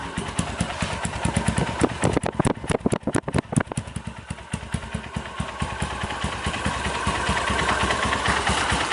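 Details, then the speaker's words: 2010 Honda Mega Pro carbureted single-cylinder bored up to 198 cc with a BRT kit, PJ 38 and MJ 120: it catches and settles into a steady popping idle near 1100 rpm, revs drifting slightly, with no knocks; healthy engine. "Oke, alhamdulillah motor sudah selesai ya. Ini ya, untuk suara mesinnya."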